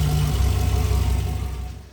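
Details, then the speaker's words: 1964 Chevrolet Biscayne, first start in over 50 years, still untuned; low, even idle with no ticking left, settling smoothly; lifter tick gone after lifters pumped up. "All right. So that's got the lifter problem solved. Uh obviously it just needed to pump up. Engine sounds much better."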